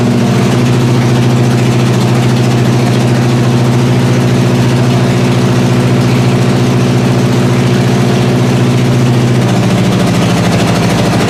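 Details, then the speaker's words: 1981 Recaro Trans Am (Turbo Pace Car) after about six years sitting, just started after a carb fire, running low on antifreeze: steady, even idle with a smooth low drone, no valve train ticking, no smoke; motor clean, normal idle. "Yeah, fire. It didn't really put up a fight. No valve train noise. No smoking out the back. The motor's clean."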